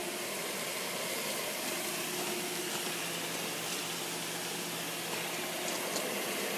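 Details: Pool filter pump after backwash valve was disassembled and lubricated to cure a loud noise: steady watery hiss and hum with no knocking or rattling; running smoothly, valve O-rings may need replacing soon.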